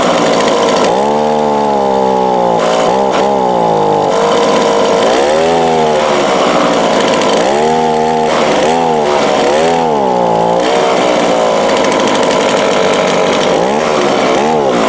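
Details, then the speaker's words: Two-stroke small engine with Walbro/Zama-type carburettor, customer complaint verified: idles fine but on each full-throttle squeeze revs rise then sag and waver, bogging down instead of screaming clean; carb out of tune, mixture needs adjusting. "well that's the symptoms it's bogging down trying to trying to go full pull squeeze there just bogs right down it idles runs good until you go to blow full blast"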